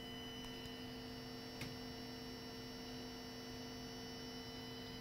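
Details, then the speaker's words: Repaired Mercedes S320 throttle body, energized on the bench: a steady electric hum and buzz with no clicks as the motor and gears hold the plate at its preset opening, which is normal operation. "and I also you will also hear that humming sound and buzzing noise sort of electric sound so here's the power here is our noise"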